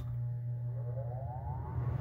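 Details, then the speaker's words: Coleman Mach 8534 RV rooftop heat-pump air conditioner after replacing the start and run capacitors: fan started first, steady low hum rising in tone to speed; smooth, normal spin-up before the compressor kicks in. "There She Goes sounds good now let's listen for the compressor to come on"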